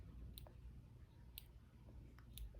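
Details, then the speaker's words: Omnipod insulin pod after filling and connecting, before needle insertion: faint soft clicks about every second in a quiet room as the pod primes; normal pod priming clicks. "so now it's getting ready to insert the needle is getting ready to insert into his arm you're gonna hear the click"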